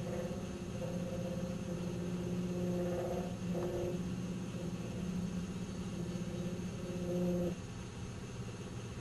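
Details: 1997 Nissan Maxima at idle: steady low droning resonance hum that fades with each light throttle blip and comes straight back; cause unclear.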